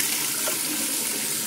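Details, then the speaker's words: Newly replaced monoblock bathroom basin tap with pump running, hot side on: even, steady hiss of water flow with no sputter or pulsing; new tap and pop-up waste working normally, waste looks dry. "and a nice stream as well a nice spurting everywhere again"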